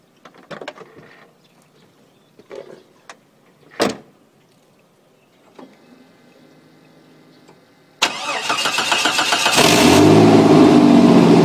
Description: Just a quick video of my '89 Cherokee with an exhaust leak at the down pipe.